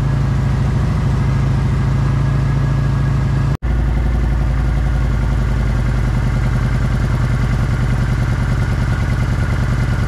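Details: Kawasaki Vulcan 900 V-twin after a no-start fix that included a blocked tank breather check valve, clutch pulled in: it catches after a brief crank and settles into a steady, even idle thump. Normal start and idle.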